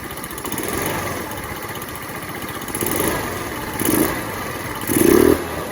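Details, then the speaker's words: Lexmoto FMS 125 after valve clearances were set and a new spark plug fitted, air filter off: quick sharp blips from a light idle, revving up instantly at full throttle each time; crisp, healthy throttle response. "It's got power, that was instant, that was full throttle and instantly revved up."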